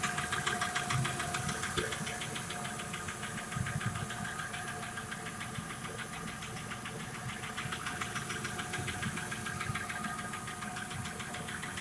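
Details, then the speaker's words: Petrol Audi A6 2.6 V6 (ABC) at idle: sharp, regular knock about three to four raps per second, tracking engine speed, from the left cylinder head, by ear near cylinder six; appeared shortly after a full engine rebuild, cause unconfirmed. "Стук в районе левой головки. Ну, так на слух где-то шестой цилиндр, в районе шестого цилиндра."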